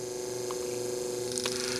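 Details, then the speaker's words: Original defective motor from an early Mercedes 500SL R129 door-lock pump, bench run: thin steady hum with a faint whir and no strong spin-up; it stalls easily by hand, showing an armature or brush problem, so the motor was replaced. "so there's a problem definitely a problem with the armature or brushes or whatever the case is but it is not working correct"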